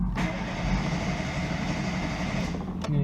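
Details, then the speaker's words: ZAZ Sens with a rebuilt engine that stalled and won't restart; starter churns steadily for three seconds and never fires. The tester shows no spark from the ignition coil, which loses spark when hot. "так як бачимо імпульс той же самий катушки перемикаю як бачимо в нас тут нема ніякої іскри"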